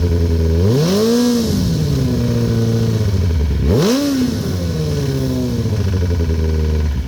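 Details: 2008 Kawasaki ZX10R, partly warmed up (162): idle and two throttle blips with a dull clattering knock under the exhaust note, cause unknown.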